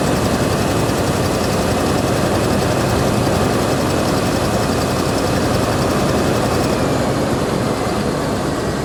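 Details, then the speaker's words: Vehicle at Copart salvage auction, started after sitting with rotten, varnished gas: steady, even idle with a smooth exhaust rumble and no knocks or misses; runs surprisingly well. "she runs well i'll give her that she does run well okay i honestly didn't expect it to run that good not at all"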